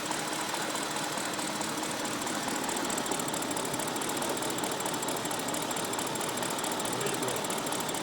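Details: BMW 550i V8 running at steady speed with a busy, ticking note and an uneven stumble through it; the engine is misfiring, code not read.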